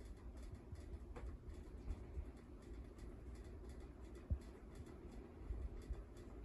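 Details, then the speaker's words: 1988 Design House Manhattan 52-inch ceiling fan with K55-style stack motor on high speed: soft, steady low whoosh and hum with faint occasional bumps from a slight wobble; well built, good airflow, running normally. "other than a slight wobble this fan is pretty well built I'm definitely glad I have this and it's got a pretty good amount of air flow coming out of it as well too"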